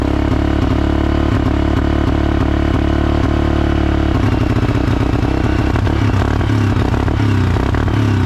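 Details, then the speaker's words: 2011 Suzuki King Quad 750 AXI single-cylinder, first start after top-end rebuild with timing set, fresh coolant, plug and battery, low on fuel: uneven stumbling, clattery running that never settles; rough running, owner suspects leftover bad fuel. "I don't know what that was. So, it fired and it runs."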